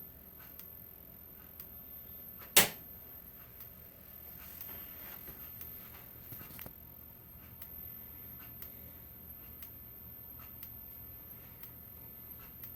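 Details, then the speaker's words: Integrity horn strobe, older unenhanced black-font model, 1575 candela, continuous mode, heard in a quiet darkened room: faint tick about once a second with each flash, the capacitor buzzing inside, normal for this strobe. "that's pretty bright though with the lights off and yes you can hear the capacitor as well you can hear it buzzing it is supposed to sound like that on the unenhanced integrity strobes with the black font"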